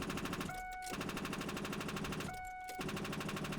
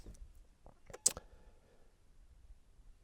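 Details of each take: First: Truck with its battery deliberately drained completely: turning the key gives a rapid machine-gun chatter of clicks and a steady warning chime but no cranking; the battery is too flat to turn the starter. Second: GB150 jump starter connected to a weak battery reading 10.8 volts gives two or three sharp dry clicks. Its relay engages normally while the display alternates.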